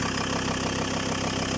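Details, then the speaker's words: Diesel just restarted after the owner eyeballed a used injection-pump belt and the engine had been knocking; sump refitted, oil filled, timing still to fine-tune. Steady, even clatter at idle with no deeper knock; no knock, all fine. "Вот и всё. Никакого стука нет, всё замечательно."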